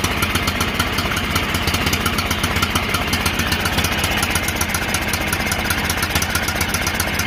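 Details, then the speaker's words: John Deere L108 lawn tractor after sitting a year, once the stuck throttle was freed: steady, even running with a smooth regular beat and no misses, running strong while warming up. "Sounds like she's running strong now."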